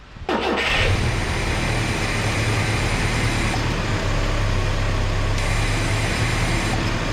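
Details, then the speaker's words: Carb-swapped truck after float level adjustment and removing an old screw: starts and idles with a low, uneven, wavering drone that never settles, running slightly better after a rev; stumble still unexplained, throttle linkage suspected. "It seemed to be running better when I did a little rev up. It didn't just immediately try to die."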